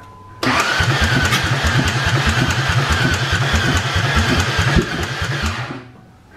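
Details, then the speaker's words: 2004 Ford Ranger Tremor with no exhaust fitted, oil in the pan: cranking with hard, regular thumps on every turn, heavier than a normal starter rhythm, a new knock not there before. Bottom-end knock suspected; possible water or hydrolock, not confirmed. "why is it Knocking though I didn't do that before [Music] that don't sound I told you it don't sound good like that well it wasn't knocking like that before"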